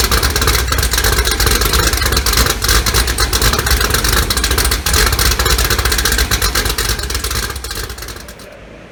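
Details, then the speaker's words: 2018 Gen 6 Hot Wheels Camaro, LME 416 stroker pushrod V8 with D-1X ProCharger, Holley port injection, ported heads, big blower cam, first start on break-in oil: loud choppy idle loping about four times a second, running clean; normal big-cam lope. "we got the hot wheels car running and it sounds great choppy idle you know it's got a big ham in it"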